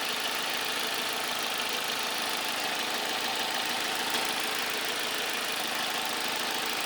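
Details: 2003 Vauxhall Vectra C SRi 2.2 at idle: light, fast ticking about three per second over steady idle, no deeper knock; cause not pinned down.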